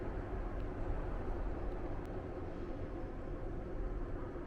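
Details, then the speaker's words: Vevor diesel air heater in a Fiat Ducato van, still at full power, thermometer near the outlet reading almost 20°C: steady even low roar of combustion and fan, no surging, popping or stutter; normal running. "Il est presque à 20 mais bon là il est vraiment proche de la de la sortie. Il est toujours à fond."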